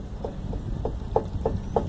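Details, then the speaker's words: Fiat Uno front suspension rocked by hand, control arm replaced: short, evenly spaced creaks about three a second from the worn control arm bushing; steering rack, shock, driveshaft and CV joint were suspected first. "esse braço eu troquei quase os 4 anos T ouvindo um barulho vou desmontar Aqui estou PR olhar a bucha mas o barulho é esse aqui ó"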